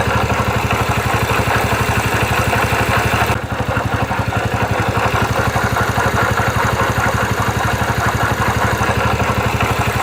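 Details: 2009 Yamaha Factor YBR single-cylinder motorcycle idling with a fast, regular ticking clatter over the exhaust beat, steady throughout; an abnormal mechanical engine noise of unknown cause.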